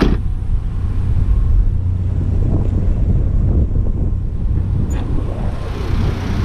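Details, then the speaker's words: 2003 Chevy Trailblazer LTZ 4.2 I6 idling after test drive, following gasket, plug and coil repair for P0305 misfire: steady low rumble with no chirp; the cricket-like idle chirp is gone, traced to the alternator (belt change didn't fix it, new alternator did). "so sounds good doesn't have that cricket sound anymore it sounded like a cricket when it was idling turns out that was the alternator"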